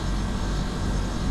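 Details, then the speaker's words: Non-branded split AC outdoor unit after a faulty, jury-rigged compressor that hummed and drew high current (23 A start) was replaced, during slow gas charging: a steady, even low hum with no knocking or rattling. The new compressor runs normally. "और outdoor भी अब पूरा successfully चल चुका है क्योंकि अब य किसी भी कंपनी का तो है नहीं"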